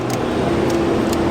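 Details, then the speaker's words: Toyota Corolla whose badly installed Chinese alarm killed the engine when the lights or turn signals were switched on: with the relay bridged, steady even idle with all lights on, no stalling. "Como pueden ver, el vehículo ya no se apaga. Todas las luces están encendidas."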